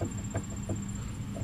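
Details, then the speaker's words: Ford Focus front suspension: light, irregular knocking rattle about three times a second as the front end is worked; worn sway bar end link joint moving and rattling with suspension travel, axle boots intact. "hear that that's that joint worn out here so every time the suspension is working that thing is moving around and rattling"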